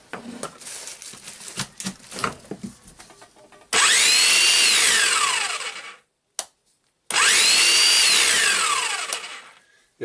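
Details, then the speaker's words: Hilti TE905-AVR demolition hammer, also leaking oil and needing o-rings, sat a week before testing: it spins up to a loud high whir, then the pitch sags and it dies after about two seconds, twice. Starts then stops; armature winding fault. "just stops and this is normally this is a fault of um of armature winding because the magnet on it"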